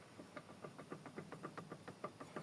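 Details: VW Golf 4 1.4 petrol: sharp, evenly spaced knocks about seven per second over faint engine hum when coasting on overrun; source not yet found, owner notes noticeable axial play felt by hand though all bolts are tight.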